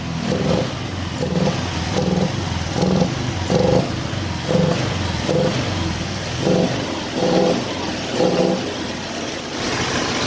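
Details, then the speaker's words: Honda Vario Techno 125 fuel-injected scooter, throttle blips: each flat and rough before picking up, uneven beat between revs; bogs and growls on initial throttle, confirming owner's complaint, cause not yet confirmed. "Nah jadi betul ya teman-teman kata si pemiliknya jadi seperti itulah penyakit motornya Udi gas itu ngempos dan ngorok disini"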